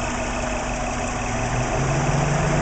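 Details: Warm engine revving after about 10 minutes running, following spark plug, coil pack and timing belt checks: smooth rising note with light valvetrain and injector ticking, no low knock; earlier suspected piston slap gone, vacuum 20 inHg, oil pressure 38 psi at idle.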